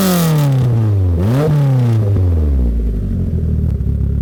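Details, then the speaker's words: Mitsubishi Eclipse abandoned for 15 years, just revived with all new injectors, compression equal on all cylinders: engine blips then idle pitch wavers and hunts unevenly; owner suspects vacuum leaks all over the engine. "as you can hear this engine sounds very very healthy but it does have a little bit of a weird idle I think I know what's causing that problem"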